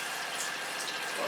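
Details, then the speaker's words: Motorhome cold-water pump with an expansion vessel (accumulator), tap open. Steady rush of water with a faint constant whine underneath; the small pump runs smoothly. "So the pump's running."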